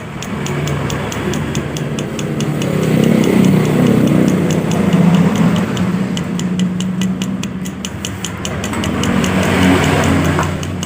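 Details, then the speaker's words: Yamaha Aerox: quick, regular light knocking, about three to four a second, over the idle; worn bearing clearance in the connecting rod (setang piston) big end, rod knock; engine to be cleaned and connecting rod replaced. "Oke sudah ada spasi maka timbullah suara seperti tadi suara truk truk truk truk nah seperti ini"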